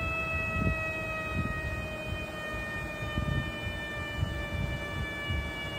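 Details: Idling engine: steady siren-like whistle at constant pitch over a low, uneven hum. A vacuum leak is suspected, not confirmed.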